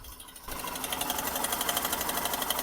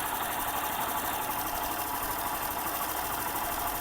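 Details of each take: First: Hero Glamour XTEC BS6 motorcycle, 26,000–27,000 km, at idle: fast, even metallic sewing-machine chatter over the engine; oil level fine and no white smoke; loose or badly fitted timing chain suspected. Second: Hero Glamour BS6 motorcycle with about 26,000–27,000 km, after a timing chain replacement: even, quick mechanical patter at idle with no rattle or chatter from the chain side; the earlier chain noise is gone, normal idle.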